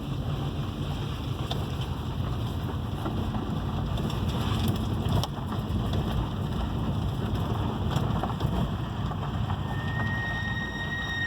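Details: 2006 Subaru Forester 2.5 XT SG6, recorded inside, front Brembo Gold 4-pot calipers rebuilt ~10,000 km ago, Brembo discs and pads ~10,000 km: road rumble then a steady high brake squeal near 2 kHz; owner suspects poor or fake pads.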